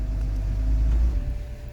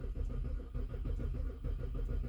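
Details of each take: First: 2007–2009 BMW E70 X5 with a crank-no-start fault after its battery died from months of sitting, now fixed: engine catches and settles into a low, steady, smooth rumble; normal start. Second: BMW E70 X5 (2007-2009), sat a couple of months with dead battery, key security OK: steady rhythmic starter churning with no firing, cranking until it stops; crank no start.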